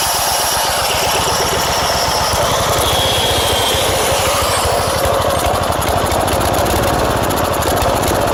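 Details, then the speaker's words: Old tiller engine running after gas was added to the tank, throttle low. Fast, steady but slightly lumpy single-cylinder chugging; the carburetor leaks at the fuel pump and runs far too rich even at the minimum setting, nearly flooding. "You can see the problem the carburetor's having. It's leaking right out of the fuel pump and right here. And it's running way too rich."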